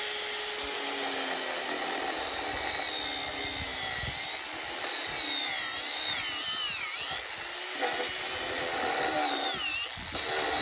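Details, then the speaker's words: Power carving tool hollowing a wooden bowl: the high whirring cutter's pitch sags and wavers as it is pushed too hard, bogging down, shown as what not to do. "now I'm about to demonstrate what I was referring to earlier on what not to do you can actually hear the pool bogging down"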